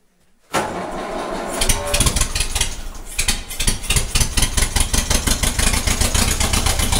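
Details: 1956 Ferguson TE20 TVO four-cylinder tractor, first run in 8 years: fires up, then settles into an uneven, lumpy beat with a regular missing pulse. Running on three cylinders; cylinder number one suspected.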